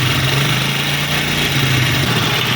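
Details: Honda CD 70 single-cylinder bike engine idling: fast, light metallic ticking over the hum from loose tappets (excess valve clearance). Not the timing chain roller; fixed by opening the tappet covers and adjusting at top dead centre, without replacing parts.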